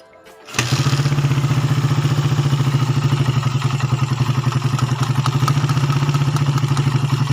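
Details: Motorcycle with a TK aftermarket PE 28 carburetor, after a flooding fix: starts at once and settles into a steady, even putter with no stumbling or misfires, music behind; healthy idle.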